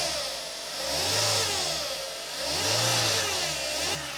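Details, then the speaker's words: Maruti Zen petrol, engine revved twice: hissing, whirring noise rising and falling with revs; accessory-belt bearings confirmed not the cause, timing belt or tensioner suspected (area disturbed earlier), cover still to be removed to check. "ശബ്ദമുണ്ട് അതിന്റെ അർത്ഥം എന്ന് വെച്ചാൽ accessory ബെൽറ്റുമായി ബന്ധപ്പെട്ട് വരുന്ന ഭാഗങ്ങളിലുള്ള ഏതെങ്കിലും ബെയറിങ്ങുകളുടെ damage അല്ല എന്നുള്ളത് നമ്മൾ കൺഫോം ചെയ്തിട്ടുണ്ട്"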